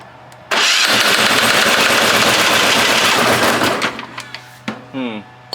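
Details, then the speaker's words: Long-stored military Hatz 1B20 diesel pressure washer, started on starting fluid without proper warm-up: harsh, ragged clatter fires unevenly for about three seconds, then dies. Rough running. "what is that noise wow it sounds terrible"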